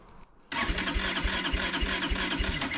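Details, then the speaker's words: Kawasaki Brute Force 300 ATV with a Kymco engine and 180 compression, a black plug and backfiring. It won't start on choke, only by working the button: the starter grinds, then uneven chuffs about three per second never settle. Hard starting from a tight intake valve. "so I think I think what is going on is one of my valves is tight I think it's an intake Val"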